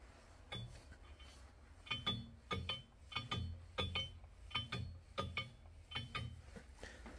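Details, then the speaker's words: 502ci big block Chevy crank turned by hand during pre-assembly: slow repeating metallic clinks and scrapes as a counterweight catches the block; high spots from forging splatter found with Dykem and deburred, after which the noise stopped. "And I believe I found my problem. Got a high spot right there, and one right there. So I'm gonna try to deburr that."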